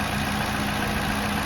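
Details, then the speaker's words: 2018+ Toyota Camry after spark plug replacement, running with engine cover back on; smooth steady quiet hum, no ticking, high-pressure fuel pump shut off after engine settled; normal idle. "After the engine settles down, that high pressure fuel pump shuts off. Running with the cover back on."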